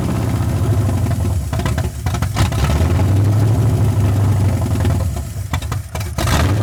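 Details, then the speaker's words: 1981 Ford Mustang 5.0 V8 with carburetor, after resetting the mixture screws from about 14 turns out: low idle that keeps sagging and catching unevenly, barely staying lit. Owner suspects a vacuum leak, a bad carb, or settings still off. "still fighting me acting like it's got a vacuum leak still"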